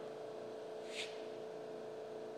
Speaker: that's what the pump is supposed to sound like when it is running the way uh that it was designed to